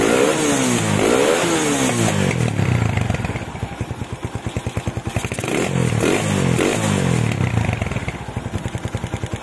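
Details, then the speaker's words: Honda Tiger stock engine, PWK 28 NGO carb set with GL Pro needle on top clip, pilot jet 30, main jet 115: sharp clean throttle blips rising and falling crisply with no hiss or stumble, only PWK slide clatter; normal throttle response. "Stasionernya stabil sekali, nggak ada suara ngesesnya juga. Ini dibuka gasnya juga normal tanpa ngeses sedikit pun."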